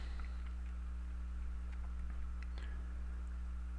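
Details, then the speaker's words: Steady, rhythmless low electrical hum throughout a recording made on an Acer Aspire 4720z laptop, with faint clicks on top; source of the hum unknown. "And if you do notice though, I was doing some tests of the recording, and if you hear the background, there's like this hum, and I was messing with the sound thing, and I don't know where that hum is coming from."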